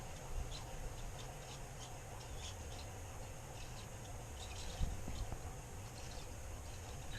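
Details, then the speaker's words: Winter road bike front wheel with Hope hubs turning: short high-pitched chirps over a low rumble from dry squealing hub bearings, heard while riding, later to be cleaned and re-greased. "And so the next job was the front wheel. When I was riding it the other day I could hear the bearings squealing."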